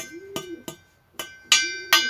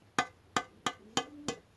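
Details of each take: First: Nearly new two-stroke expansion-chamber exhaust, tapped for comparison with a carbon-clogged one. Five sharp taps each ring with a clear, lingering metallic tone; the pipe resonates freely, showing no carbon buildup. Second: Two-stroke expansion-chamber exhaust in poor condition, tapped with a fingernail. Six taps each give a short, dull knock with almost no ring, held back as if dirt were inside: the pipe is full of carbon.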